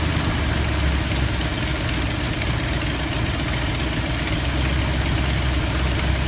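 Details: 1972 Ford F250 with 360 V8, after a Pertronix Flame Thrower II distributor install with new coil, cables and plugs and the distributor repositioned: even, steady low idle rumble with no stumbles or surging; normal, healthy idle.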